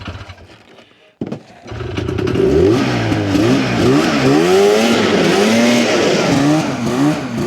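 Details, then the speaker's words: 1981 Ski-Doo Blizzard 5500 two-stroke snowmobile test-driven without the restrictive airbox: crisp wail climbing and dropping with throttle, pulling clean through the top without stumbling; healthy at full power, confirming the airbox was the problem. "uh yeah confirmed the airbox is the problem fixed yeah all right"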